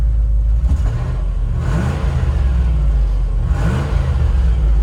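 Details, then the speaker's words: 1989 Range Rover Classic SWB in-cabin after patching the separated exhaust behind the catalytic converter: deep, even exhaust drone through two revs, no raspy puffing or rattle; the long-standing exhaust leak sounds sealed. "it kind of sounds almost normal in here which is which is odd i think since i've owned this truck there's been a pretty terrible exhaust leak"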